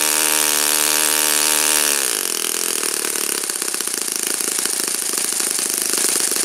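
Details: Saito FA-56 four-stroke glow engine, first run after teardown, cleaning and bearing replacement; apparently moderate-time engine on 12x6 prop, OS F plug, 5% Omega fuel. Crisp high-revving buzz dropping smoothly in pitch at two seconds, settling evenly; normal running.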